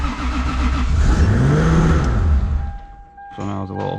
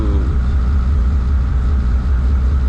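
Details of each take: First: 3.4 stroker 2JZ in a JZX100 after assembly, E-throttle table raised: engine settles at a fast, raised idle for a couple of seconds before dropping off; idle set a little too high, to be turned back down. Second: 3.4 stroker 2JZ in a JZX100 on third start after E-throttle idle was turned back down: deep, steady low rumble with no misses, knocks or hunting; idling smooth.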